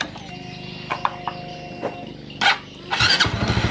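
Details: First-generation Honda CB150 fuel-injected motorcycle that would not start, faults found in injector and weak fuel pump, after repair; starter whirs briefly, engine catches at once, steady normal idle with a quick throttle blip.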